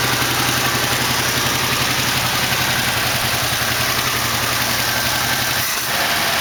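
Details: 1968 AMX with 401 V8 (replaced 360 Go Pack), first start, idling poorly, leaking fuel: loud, lumpy idle stumbling unevenly with quick light tick; lifter later found worn through with a hole in bottom.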